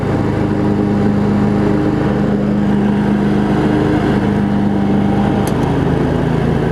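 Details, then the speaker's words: Craftsman riding mower, Briggs & Stratton V-twin, after shift hub repair, started on choke and driving: steady even drone at constant speed, no misses or knocks; running pretty good. "Oh here it's moved out a little bit after I've got it run wait it's all it's actually running pretty good"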